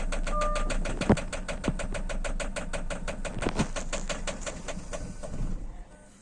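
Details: 2008 Citroen C5 X7 no start: steady starter cranking at roughly three strokes a second with no catch or firing, then winds down; fuel pressure regulator suspected, not confirmed.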